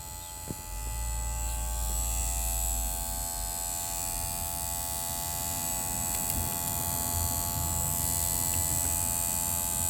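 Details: 2009 Volvo V50 1.6: steady electrical buzz with several fixed pitches, unchanged throughout; source unknown.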